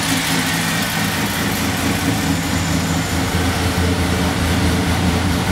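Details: 1996 Chevrolet Beretta after timing chain replacement, at idle: steady idle with a fast, light puffing tick under the engine note and no more valve-train clatter; exhaust leaks ticking, likely at the manifold.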